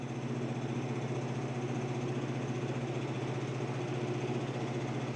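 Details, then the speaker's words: Amana PTAC PTC153E50AXXXAA after replacing the faulty control board (RSKP0013) that stopped heating, running on maximum heat: a steady, even fan rush over a low constant hum with no rattles, clicks or surging, and it is heating normally. "Yep, it's getting hot. Yeah, this is great. It's getting hot."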